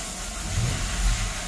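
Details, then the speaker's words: Mercedes C280 that had a no-crank no-start from a low-voltage battery: engine catches and revs smoothly with a steady hum, nothing odd; runs healthy, alternator charging fine, battery found bad. "अभी मैंने गाड़ी को start किया अलुला गाड़ी start हो गई है य चेक करें रेस दे रं यहां"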